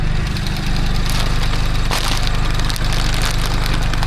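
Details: Crash-damaged Mini John Cooper Works under rebuild, first starting again after long repairs: steady, even low idle with a smooth regular pulse and no knocks or misfires; engine running fine.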